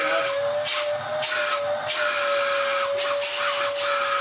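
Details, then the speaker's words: Dyson DC07 vacuum from a free job lot, first run: steady, even howl holding one pitch with airflow rushing around it; motor running smoothly, the nice howl a decent DC07 makes. "Ooh. That's even got the nice howl that a decent Dyson DC07 does."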